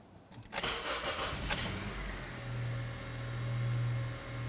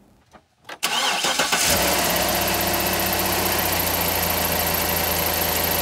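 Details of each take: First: Engine after a repair for lean codes P0171/P0174 (injector O-rings replaced, code cleared, no check engine light): brief crank, then it catches cleanly and settles into a smooth, steady low idle with no stumble or hunting. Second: Truck engine cranks and settles to idle with a sharp, rapid ticking puff over the exhaust: an exhaust manifold leak from a broken manifold bolt, ahead of the O2 sensor, which can set lean codes P0171/P0174.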